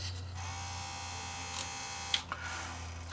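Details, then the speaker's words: Denon CD recorder, second drawer: steady electric buzz with a thin high whine and no tray movement; tray will not open, owner suspects a broken belt, not confirmed. "this one sounds like a belt is bad because will to stop that from playing because this side doesn't open at all it just makes a buzzing"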